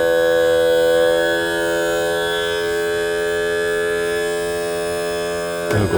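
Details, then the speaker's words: Mercury 60 hp four-stroke outboard tilt/trim pump after topping up low fluid (under 3.5 oz, after 2.5 years): it stuttered at first until primed and air was purged. Now an even electric whine while lowering, ending with a clunk at the stop. Normal tilt/trim pump operation. "Now, you notice it stuttered at first until it primed and got the air out and got some fluid."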